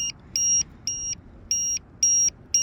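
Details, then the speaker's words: RC airplane in flight, a couple of minutes in: shrill quarter-second beeps about twice a second from the battery low-voltage alarm, which was set to the wrong voltage. "maybe I maybe I set the alarm to go off at at the wrong voltage cuz cuz it shouldn't it shouldn't be low already"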